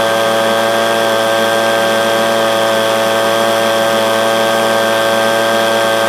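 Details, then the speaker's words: Echo PB250LN handheld blower, warm, that bogged at full throttle at operating temperature, after replacing air filter, fuel filter and spark plug: steady high-pitched two-stroke scream at full throttle without sagging or bogging, running clean. "but after doing the air filter the fuel filter and the spark plug I have alleviated my problem I actually ran it for about 10 minutes just to make sure before I recorded that"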